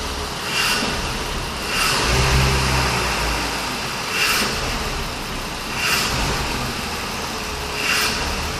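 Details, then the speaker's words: BMW 520i E60 2.2 M54: blips rise then sag, with revs hunting instead of holding, a hesitation on acceleration. Owner suspects an extra air entry (vacuum leak) and is unsure about the lambda values; other live values read zero. Not confirmed. "Parece que o carro tem uma entrada de ar suplementar. O carro parece que tem uma entrada de ar suplementar."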